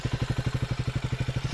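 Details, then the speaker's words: Triumph Speed 400 single-cylinder at idle after engine noise repair: even thump with no tick; earlier ticking noise gone, engine now sounds normal. "अब इसकी normal आवाज है वो कोई खिच ख ख किसी टाइप की कोई नाउस नहीं"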